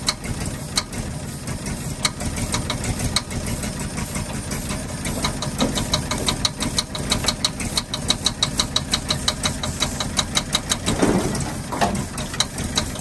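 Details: 1948 Ford F-5 ice truck, not run in 45 years, rough running after first start with loose uneven ticking pop; number six lifter believed hanging on its spring and popping back, not a knock.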